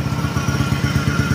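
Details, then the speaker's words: Honda Click 125/150 scooter, a heavily loaded parcel-delivery bike with an aftermarket fuel pump, idling: a deep, throbbing rumble with a low drone and loud exhaust. The mechanic says the engine and exhaust are loud and suspects the crankshaft. "Mahingi yung makina, nagpahingi lalo yung kanyang tambutso."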